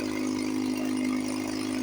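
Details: 1954 Johnson 5.5HP outboard, barn find revived after about 60 years with carburetor rebuilt, cover on, fuel bulb hand-pumped, tank airline blocked, water pump pumping nice. Smooth, even buzz at steady speed, no misses or knocks: normal running.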